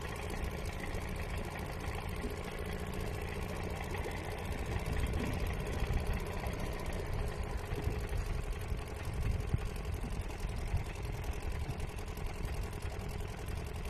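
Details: Old Seagull 40 Plus two-stroke outboard, restoration project, first beach test in the water. Low, uneven fuel-starved idle; cutting out, owner suspects blockage in the fuel pipe or little filter, plans to clean them.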